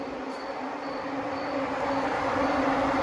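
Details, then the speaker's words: 1999 Dodge Ram with common-rail Cummins swap: electric radiator fans switched on from the panel, strong steady whooshing roar like a jet with even building hum, no rattles or rubbing; fans moving air normally. "oh yeah they're moving some air sounds like a jet about to take off"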